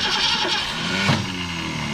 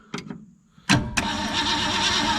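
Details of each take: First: Fleet car started for the first time in years with fuel poured in the top: starter whirs, engine catches briefly, then the starter jumps out every time it fires. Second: 1964 Ford Fairlane first start after sitting, battery hooked up, coil and coil wire in question, carburetor not cleaned: quick crank, then catches cleanly and settles into a steady, even idle with no misses or knocks; starts and runs well.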